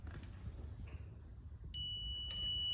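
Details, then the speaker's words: Ducati not starting after a decade, side stand switch checked with a multimeter in continuity mode: a steady high beep returns when the stand goes back down; the switch closes properly and is not the no-start cause. "I'm just going to touch these two pins together we get a little beep I'm going to touch these together we have continuity"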